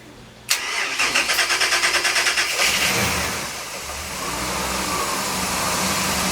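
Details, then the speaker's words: 2005 Sea Ray 340 Sundancer, Mercruiser 8.1 liter inboard V-drive engines, freshwater cooled, started completely cold: brisk two-second crank, immediate catch, even steady idle with no extra noises. Normal cold start and idle. "okay I don't know how well you can hear it through the video but both of them run extremely smooth I don't hear any extra noises nothing and they were both completely cold when we started them up"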